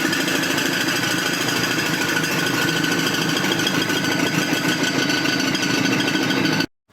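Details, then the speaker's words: Car driven by customer with a metallic engine noise, engine run out of oil: hard fast metallic hammering, roughly three knocks a second, loud over the engine; engine knock from oil starvation, risk of seizing. "entendez déjà le bruit, ici le problème c'est que cette voiture est en panne d'huile, donc ce qui a pu se passer c'est que puisqu'elle roulait avec le moteur sans huile, à tout moment le moteur aurait pu se bloquer"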